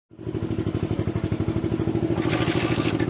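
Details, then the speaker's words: Hero Honda Splendor single-cylinder engine, opened for timing change: uneven mechanical clatter about three ticks a second over the engine beat; camshaft, oil pump timing gear and push rod all found worn, head and block work needed. "तो देखते इसका केम साफ भी खराब हो गया, जो oil pump का टाइमिंग का गरल है वो भी खराब, मतलब हर चीज़ खराब। इसका जो फुस रॉड है वो भी खराब, हर चीज़ खराब।"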